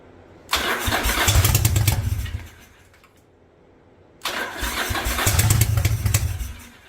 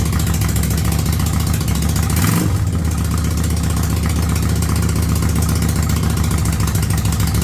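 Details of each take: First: 1985 Yamaha Virago twin barn find, single-carb conversion on a DIY manifold, first start on choke: two short bursts of rough, uneven chuffing that die away; seems to fire on one cylinder, smoke from front pipe. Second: 1985 Yamaha Virago V-twin with a single-carb conversion, cold, without choke: steady idle at about 1000 rpm with an even low thump and a brief early blip of revs. Smooth, settled running.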